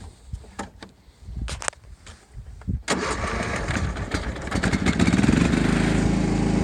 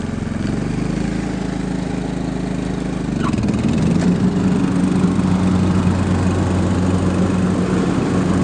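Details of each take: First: John Deere LT150 rider mower, Kohler 15 hp single-cylinder air-cooled 4-stroke, 12V battery weak and not well charged; starter drags the engine slowly and unevenly for a couple of seconds before it catches; slow cranking from weak battery. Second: John Deere LT150 rider mower, Kohler 15 hp single-cylinder air-cooled 4-stroke, after cleaning and service; even single-cylinder chug firms up after a few seconds and holds a steady beat about 220 a minute; runs smoothly.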